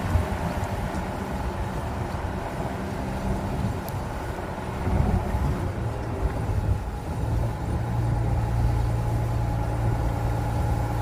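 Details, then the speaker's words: Pickup truck (owner compares to Ford/RAM) with camera at the rear, slow roundabout turn: low rumble, no squeak or creak from the rear springs; the earlier noise is no longer heard from the cab, apparently gone or greatly reduced. "Okay, so there you have it. I could not hear it at all from the inside. So if you heard anything from the outside, it's not the noise I'm hearing, or it's been reduced so much that it's no longer making it into the cab of the truck."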